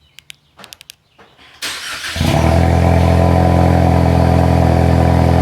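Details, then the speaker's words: Ford Mustang EcoBoost after Flowmaster Outlaw axle-back exhaust install, car still jacked up: clicks, short crank, catch, then loud deep even idle holding steady; much louder than stock, healthy start. "Oh, it's way louder. Than the poor neighbors. Nice. Alright, it's no V8, but I think it's a lot better than what it was."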